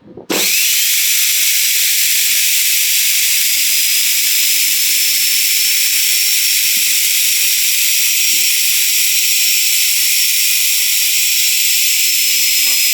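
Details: 6-wire universal motor from front-load washing machine, bench-run on line/neutral with wiring swapped to reverse rotation anticlockwise: spins up fast to steady high whine with brush hiss, even pitch, no knocks or rubbing; healthy.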